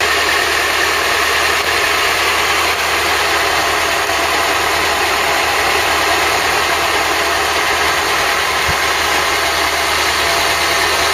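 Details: Ford Cortina Mk3 with a freshly rebuilt 2.0 Pinto engine, on an extended test run: steady, even idle with a smooth hum and no knocks or misses, sounding healthy and settled.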